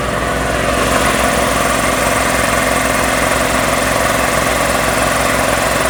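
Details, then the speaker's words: Magna Force air compressor, after repair (air filter replaced with oil-soaked foam, run capacitors checked dry) and reassembly: steady, even motor hum with fast regular pumping pulse, no stalling or buzzing; starts and runs normally, though air is heard bleeding off. "so I'm gonna go ahead and put all this back together and we're gonna see if it actually pumps the air"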